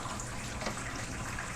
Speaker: Very cool. So each one is going, and they're filling, and then they're gonna drain.